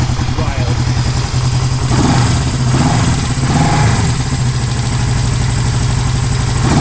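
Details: 1973 Honda CB350G's first start in over 10 years after cleaning the points, carb still leaking: even, steady twin-cylinder putter holding a firm idle with no misses; normal idle.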